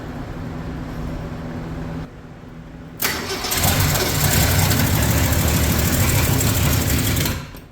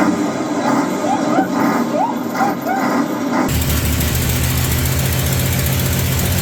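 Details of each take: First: 1965 Mercury Comet Caliente, not run in 10 years, fed fuel by a spritz into the carburetor with no fuel system fitted; it catches on a loud burst, then runs ragged and uneven, so rough running from ignition timing that is off. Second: 1965 Mercury Comet Caliente, not run in 10 years, run on fuel fed into the carburetor after its timing was retarded slightly; after some initial chatter it runs steady and even with no clatter, knock or banging, so the engine is judged probably good.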